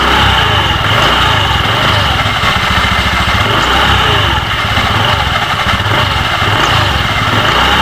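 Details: Honda Beat FI v2 scooter, CVT side noisy where it previously wasn't, idling with case cover off: fast even chatter with rattly edge; something loose in the CVT, cause suspected, not confirmed.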